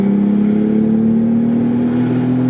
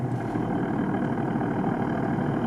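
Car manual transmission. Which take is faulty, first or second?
second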